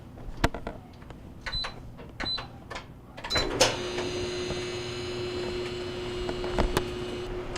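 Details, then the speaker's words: GE DBVH520GJ2WW gas dryer after removing compressed lint balls between front bearing and drum that caused thumping after heating: a few clicks, then smooth even hum as drum turns; running normally after repair. "and still not creating noise so that's where i believe the noise was coming from so it looks like this dryer will be all set"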